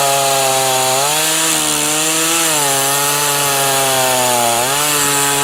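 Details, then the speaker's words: Titan TTL759CHN chainsaw, heavily used over winter, on super unleaded with semi-synthetic mix: high buzzing cutting note sags several times then recovers, bogging at high revs; owner attributes it to incorrect carb low setting; also hard to start when hot. "the low settings incorrect so it's it's kind of yeah bogging down on high revs"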